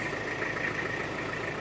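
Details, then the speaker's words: 1989 Toyota Hilux Surf (4Runner), 2L-TE turbo diesel, 5-speed manual, 4WD, 106,000 km, just started; steady even diesel clatter at idle, no knocks or misses; normal healthy idle. "Sounds great, runs great. These are good engines for the US roads and highways."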